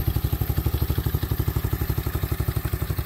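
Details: Apollo 125cc ATV small single after swapping the lean factory carb for a fully adjustable aftermarket carb with jets cleaned and throttle cable custom-adjusted: chugs evenly at about four beats a second with clean, snappy pulses, no misses; throttle answering crisply.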